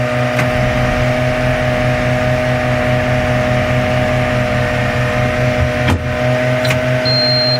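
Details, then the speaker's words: 2004 International RE300 school bus, T444E 7.3 diesel, rear engine, 90,000 miles, Allison MD3060, cold start in the 30s°F with snow: slow uneven cranking thumps, almost starts but never catches; owner unsure of the glow plugs' condition. "Here we go. She's a-cranking. She almost started. Give her some more glow plugs."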